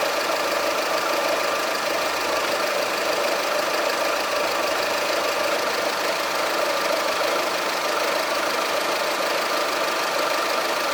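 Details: Skoda Fabia 1.4 16V 63 kW shaking at idle with no visible RPM change and normal consumption and power; uneven, stumbling idle with irregular exhaust chuff as one cylinder drops out. Misfire traced to a faulty cylinder 1 ignition coil, and replacing it fixed it.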